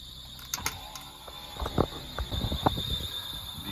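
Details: 2003 Lexus RX300 at idle, VSC and airbag lights on: thin, steady high-pitched squeal over a quiet idle with some clicks; accessory squeal, owner suspects alternator pulley, unconfirmed.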